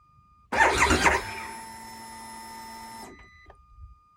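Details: 2022 Harley-Davidson Pan America at 30°F, 12 V battery plus jump box: short whir then a thin electric hum with no engine turnover; cold no-start, starter-gear service bulletin pending, cause unconfirmed.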